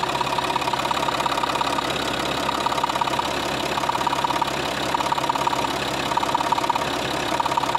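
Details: Scrapyard UHZ DT17TED4 diesel in a Citroën C6, idling after about 25 km with a full tank and diesel injector cleaner added: a sharp, regular ticking about three per second. Owner suspects a sticking injector.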